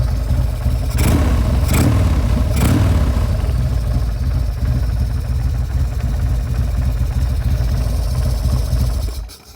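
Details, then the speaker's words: 2000 Buell M2 Cyclone V-twin, carburetted, warm from a ride 1.5 hours earlier, given a few revs: deep lumpy idle with three quick throttle blips then settling back; heavy shaking is normal, healthy idle. "people always comment oh man like your bike's so big it's shaking all all around yeah it's very normal uh for this bike it's a healthy idle"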